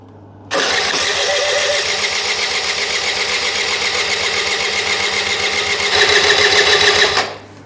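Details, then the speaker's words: Honda Lead AF20 two-stroke scooter on premix fuel, first start after a full engine overhaul: the electric starter gives a steady whirring crank with a fast, even chatter and no firing yet, while the fuel pump primes the fuel system. Starter cranking. "І починаємо заводити. Як тільки я його почну заводити, бензонасос відразу почне прокачувати бензин по паливній системі."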